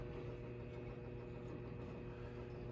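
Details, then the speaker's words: Burnham gas boiler, thermostat (TT) wire reconnected to call for heat. The vent damper cycles open normally: a faint, steady low motor hum with no clicks, chatter or grinding. "Now, put back TT. It'll vent damper is cycling."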